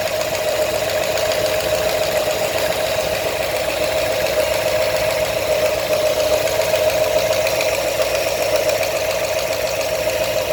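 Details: New 347 crate engine at steady idle with a light, fairly quick tapping about three or four a second over it; knock of unknown cause.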